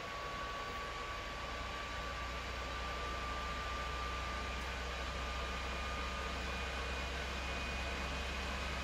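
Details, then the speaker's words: Early-model PS4 Pro under heavy load running Modern Warfare, still spooling up: loud rushing airflow with thin constant whine, "jet engine" fan noise audible across the room; dusting and new thermal paste didn't help, stock fan later replaced with aftermarket. "not even entirely certain that that's at full tilt yet but even over here now it's to the point where you can hear it"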